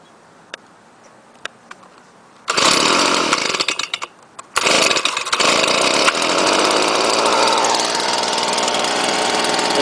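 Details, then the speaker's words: Leaf blower with on/off switch, rated 140 mph, primed and started cold, gives a few clicks and a short burst, then catches into a smooth, steady high buzz; it starts and runs normally. "so this is a warm start see how it runs on a cold start"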